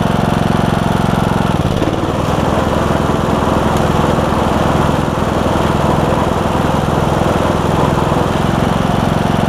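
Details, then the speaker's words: John Deere E100 mower, 17.5hp Briggs, 80 hours, just after camshaft replacement for hard starting: steady, even single-cylinder thump at part throttle, no knocks or misses; started right up, burning oil off muffler; running smoothly. "all that oil that's going to burn off the muffler inside the muffler and all that stuff sounds good though start it right up too so that's awesome"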